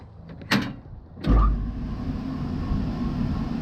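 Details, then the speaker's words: Rooftop (RTU) HVAC blower after bearing housing remount and a belt adjustment: a couple of clunks, then a steady even low hum with no wobble or knock; motor running much smoother and the unit no longer shakes. "And that reduces a lot of the movement. The motor's now running a lot smoother. So, looks like I fixed their problem. The unit's not shaking or anything like that."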